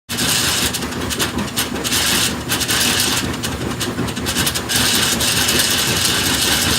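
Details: GE top-load washer (model WWRE5240D1WW) makes harsh continuous metallic grinding while the agitator rotates with the transmission body stationary; grinding stops when the transmission body rotates. Agitator, coupler and splines checked fine; cause unknown.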